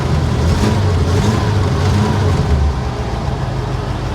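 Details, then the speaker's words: 1953 Pontiac Chieftain with 12-volt system, in neutral, briefly warmed up (wanted to die off throttle): brief rev then steady, even low idle, no misses or knocks; generator charging 11.3 V at idle. Normal idle. "there we go she's running she's happy"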